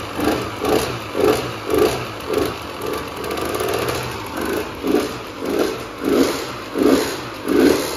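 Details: Husqvarna WR125 two-stroke motorcycle, power valve not working, exhaust not fully secured: crisp blips rising and falling about every second, clean pickup, no rattle or knock; normal running and revving.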